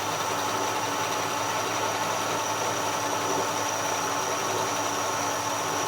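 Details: 1956 Chevy with a rebuilt Rochester carburetor, being tuned while still cold: smooth, even V8 idle with a steady tone and no hunting, misses or knocks after mixture and idle adjustment; the carburetor mixture is set right.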